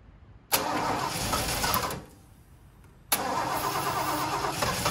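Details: Ford 460 big block in a 1976 Lincoln Continental, 41,000 original miles: catches and runs roughly about a second and a half, dies, then catches again; not pulling gas from the tank (two fuel lines), fuel starvation.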